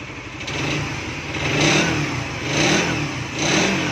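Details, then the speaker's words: Raider 150 Fi after an engine refresh because oil and coolant had mixed through the whole engine: harsh mechanical rasp rising and falling over three rev pulls, gone at idle; source not yet checked. "Pero may naririnig pa tayong ingay. So i-check natin sa susunod. Kasi ngayon gabi na at saka malayo pa yung uwian ni Sir. So ang ingay na lang niya kapag i-re-rep."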